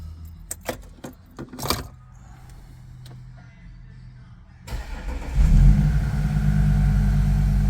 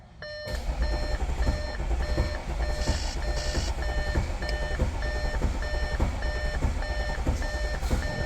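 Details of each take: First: 2014 Audi SQ5 3.0 turbo diesel with very high kilometres, towed in as a crank no start: after the repair and a pressure recheck, a few clicks, then it starts first try and settles into a steady, even idle. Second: 2014 Audi SQ5 3.0 turbo diesel, very high kilometres, crank-no-start: cranks without firing, lumpy starter rhythm under scan tool beep; very low pressure in live data and uneven cadence suggesting one cylinder low on compression, relative compression test next.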